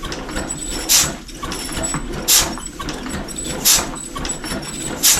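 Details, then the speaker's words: 1935 Austin 7 after fuel pump cleaning, plugs dry: slow, even cranking with strong compression puffs about every 1.4 seconds, better than before, but no fire; fuel pump not delivering gasoline, tank possibly too low. "Much better compression than what we were getting before. Hear that? But no gasoline."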